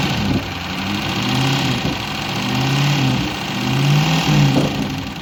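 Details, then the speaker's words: LS engine with JB Weld in place of the head gasket, revving unevenly with a few sharp taps as revs climb, pistons contacting the cylinder head from too little clearance; has compression, tapping not getting better or worse. "yeah I mean it's running noise you're is not good but the way the motor's running sounds great it sounds great definitely smoother a little one couple little ones"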